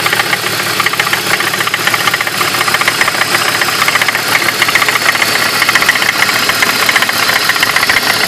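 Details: 2003 BMW E46 with rough idle persisting after new spark plugs: sharp, fairly regular ticking knock, about two a second, from the front of the engine; owner suspects the slightly leaking water pump, source unconfirmed.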